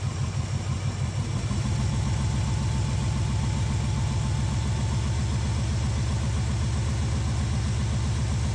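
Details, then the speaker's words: Small-block Chevy V8 El Camino with hydraulic lifters, idling after valve lash (rockers) and carburetor idle screws were set, screws three half turns out; formerly sluggish on throttle, now responsive. Even, steady low rumble with regular lope, no ticks or stumbles; normal healthy idle. "now that we've adjusted the Rockers and the carburetor and got it dialed in she's very responsive and sounds amazing"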